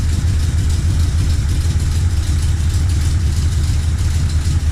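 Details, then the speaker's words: 1979 Chevrolet Corvette C3 V8 at idle on first start in a while, after interior and gauge cluster work, tach now working: deep, steady burble with even low rumble, no knocks or misses; normal healthy idle. "Man, it sounds good to hear this car run again. It's been a while."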